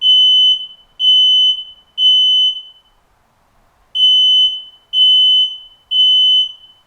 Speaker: did you know that smoke alarms when activated have a specific sound